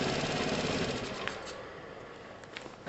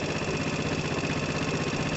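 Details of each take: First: 2012 Piaggio Typhoon scooter with a swapped 125cc engine, first start: rough idle with rapid sputtering pops and a louder chuff; it is spitting from the open emissions tube, which gets blanked off. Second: 2012 Piaggio Typhoon scooter with a swapped-in used 125cc engine (two-wire internal ignition), first start-up: small single-cylinder idles with a quick, even beat and steady pitch, running smooth and healthy; normal idle.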